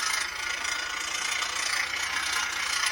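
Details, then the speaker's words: 2020 Ford F-150 front integrated wheel end (vacuum-actuated hub) with about five inches of vacuum while the axle turns: fast, dense rattling and ratcheting from partial engagement, mimicking a bad wheel bearing; needs almost 10 inches to disengage. "but this iwe is partially engaged you see it rattling on that but let off a little bit more vacuum yeah it looks like it needs almost 10 inches to disengage that you can see our axle's still turning and we'll take the vacuum down partially engaging sounds awful"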